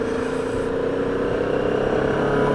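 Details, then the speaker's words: Benelli motorcycle while riding at constant speed: a steady mid-pitched buzzing vibration resonating from the front; many fixes failed, and the rider suspects the beak or headlamp area. "I've done loads of things to this to try and stop the vibration happening and um to no avail the vibration investigation is ongoing"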